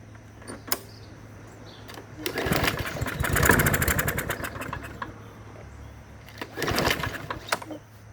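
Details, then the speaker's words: Customer's mower that sat all winter in snow, on starting fluid in the intake: a few pulls, then a couple of seconds of rapid popping firing that dies away; water in gas suspected, carburetor may need removal. "So, it looks like it runs. I wish I could hear it a little bit longer."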